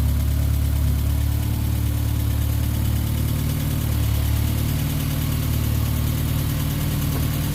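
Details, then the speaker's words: Car at idle after its fuel injectors were cleaned and flow-tested, which fixed a 3,000 rpm lean spike: steady, even low idle with no misses, knocks or ticks. Sounds far better than before; healthy. "this car is actually sounds amazing it sounds a hundred times better now that the injectors are done and cleaned properly"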